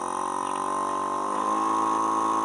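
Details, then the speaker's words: Agricultural crop-sprayer pump motor, newly rewired (one red, three green wires), running normally as speed control is turned up: steady high whistling whine with slight pitch rise while spinning up, smooth and even. "તમે અવાજ સાંભળતો કે અવાજ સાંભળજો મિત્રો કે એક city વાગતી ટાઈપનો અવાજ આવે છે।"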